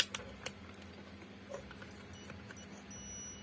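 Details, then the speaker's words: Buzzer continuity tester checked before testing the filaments of a 45 W Hannochs LHE (CFL) lamp that is dead, previously serviced a year ago: thin steady high-pitched beep, tester works. "ini buzzer yang bunyi tip itu ya teman-teman yang bunyi oke Kita tes dulu bunyi nggak ya"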